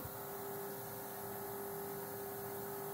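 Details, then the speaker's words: $20 airbrush kit compressor after about eight minutes of continuous running, only lukewarm to the touch: a quiet, constant hum at a fixed pitch with no rattles, surging or squeal; it runs normally and is much quieter when held. "it seems to be running pretty good so far"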